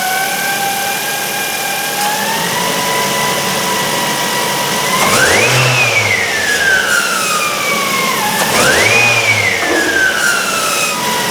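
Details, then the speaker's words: 2008 Ford Focus 1.8 petrol, after losing electrical power and jump start: thin whine rising and falling in pitch with throttle blips; suspected alternator, though charge and voltage-drop checks seemed fine. "however there is a port a whining noise coming from the engine bay sounds like it's the alternator"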